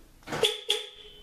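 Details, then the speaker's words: 1997 Honda CR-V with Excalibur AL-1650-EDPB remote start/alarm: two short horn chirps about a quarter second apart when the alarm is deactivated and doors unlock; normal disarm chirp. "Horn beeps and everything."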